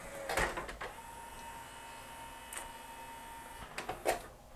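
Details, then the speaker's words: Yamaha CDC-697 five-disc CD changer after cleaning grease off loading belts with acetone, deglazing pulleys and cleaning the optical pickup: soft clicks and whirs, then a faint steady spin as it clamps the disc and reads the table of contents normally. "clamped the disc it's reading the table of contents and it's good"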